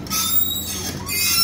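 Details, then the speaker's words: VW Golf 4 with the wipers running: a shrill squeal comes and goes with each sweep. The wiper linkage assembly is most likely seized, but this is not yet confirmed. "avem acest zgomot la ștergătoare Cam așa fac ștergătoarele a Din păcate mai mult ca sigură ansamblu de ștergătoare"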